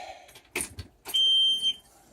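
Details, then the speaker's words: Boat at key-on, being primed after new BPR6EFS spark plugs were fitted to fix hard starting: a couple of soft clicks, then a clear half-second high-pitched beep. Normal fuel-pump prime signal. "okay that was the pump fuel pump and we're gonna frame it again that was the fuel pump and I'm gonna prime there one more time"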